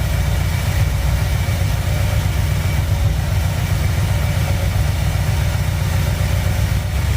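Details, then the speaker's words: 1959 Chevy El Camino V8, restarted after repair, warming, choke idle dropped down: low, even burble with no tapping or rattle. The earlier engine noise is gone, and it sounds healthy and quiet. "All right, she's sounding pretty good. Little high idle in the choke. Drop her down. Pretty quiet now. All that engine noise went away."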